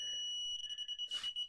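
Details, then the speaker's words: Arduino Uno parking sensor with an HC-SR04 ultrasonic sensor and an active buzzer. The tone is steady within half a metre, then breaks into short, even beeps of about eight a second that slow as the object moves away. It is working correctly. "find the beat get slower and slower and slower and slower and slower and slower the further we move away which it does brilliant"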